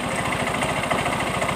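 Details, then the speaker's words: Yamaha Mio M3 125 blipped at idle. A quick, loose "tek tek" rattle is heard at the fan area and the CVT case. Blamed on running without CVT grease: worn pulley splines let the pulley clatter. "Kita gas-gas dulu, Guys, sedikit. bunyi Yi tek tek tek cek tek gitu, Guys, ya."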